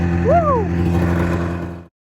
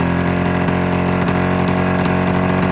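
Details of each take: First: 27-year-old Arctic Cat Mountain Cat two-stroke snowmobile after being cleaned out while chasing a fuel-delivery misfire; steady, even two-stroke drone with no stumbling or misfire before it cuts out; normal running. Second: 27-year-old Arctic Cat Mountain Cat snowmobile, two-stroke twin, new plug and replaced ignition coil, owner suspects fuel delivery: lumpy uneven idle, revs dropping off, only one cylinder firing, other dead and wet with fuel; misfire.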